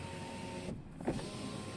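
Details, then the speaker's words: Tesla Model 3 window that squeaked on its seal, after lubricating the seal with silicone lubricant: power window motor hums smoothly through its travel with only a soft thud at the stop, no squeak left. "voilà ça fait plus de bruit et voilà c'est nickel"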